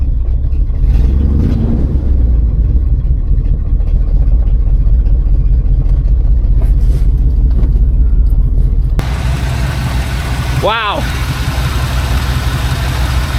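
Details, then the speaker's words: 1986 GMC square-body truck, Chevy 350 V8 just started after 9 years, idling in neutral to recharge a battery run low from cranking; the oil reading shows zero and the owner worries the oil pressure switch may not work. Steady, even rumble, no knocks: normal idle. "that is something man that is something we'll let it run for a second let it charge the battery a little bit cuz the battery was kind of low from the cranking"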